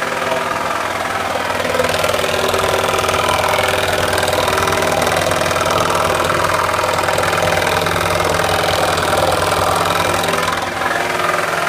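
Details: 2001 Ford Taurus SES V6, idling: steady knock about four times a second from the oil pan area, low in the engine; cause suspected, not confirmed.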